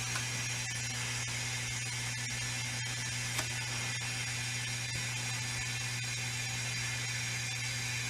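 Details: 1992 Daihatsu Hijet leakdown test on one cylinder: steady hiss of escaping air over a low hum, air heard at the exhaust, so it is leaking past the exhaust valve; the rings on that cylinder are also suspected.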